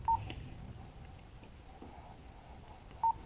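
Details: Motorola APX6000 portable radio (fire department): two short mid-pitched beeps about three seconds apart in a quiet room as the button below push-to-talk is pressed to show the current repeater; normal key tones.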